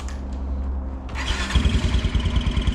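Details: Kawasaki Brute Force 300 ATV with a Kymco engine, previously backfiring and hard to start with a black plug, after valve adjustment (tight valve corrected): starts cleanly about 1.5 seconds in and settles to an even idle thump, with a slight chirp suspected from the clutch.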